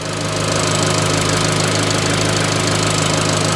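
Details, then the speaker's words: 17-plate Vauxhall Adam Energize salvage auction car on the trailer, air-con compressor clutch clicking in: steady, even idle hum with soft regular pulse, no knocks or rattles; engine nice and quiet. Normal idle. "but it runs and it does sound it sounds good as well actually engine's nice and quiet"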